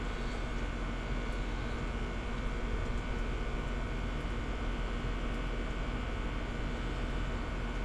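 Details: Kyosho Jetstream 1000 nitro boat, GT32 marine engine, cleaned but with a leaking head: steady spinning hum that never fires over several seconds. Cranks but won't start.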